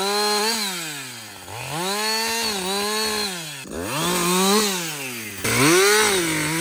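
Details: Husqvarna 562XP chainsaw back from the shop after a software reflash for dying when hot and stumbling; it screams up, pulls down into each cut and recovers repeatedly without stalling. It runs healthy under load through its first full tank.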